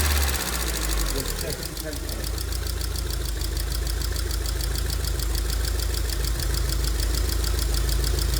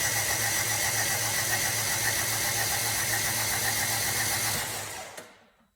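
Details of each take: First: 2002 Rover 75/MG ZT engine that stalled at idle with an unpleasant noise and sat for a while, now idling smoky and clearly misfiring. Light rapid ticking about three per second over a steady low idle rumble points to noisy valve tappets. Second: 2002 Rover 75/MG ZT engine that stalled with a bad noise, cranked on the starter with the spark plugs out and the fuel pump fuse removed. The starter spins evenly at about four beats a second with no knocks or scraping, and the engine turns freely.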